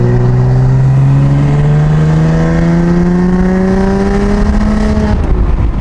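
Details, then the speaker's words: BMW F80 M3 with prototype equal-length midpipe: engine pulls steadily from low revs, note rising smoothly over a buzzy, raspy drone around 2,000 rpm. The 2K buzz persists; exhaust drone, cause not confirmed. "I've mentioned this in multiple videos comparing the single and the equal length but right now I still hear that 2K Ras or Buzz"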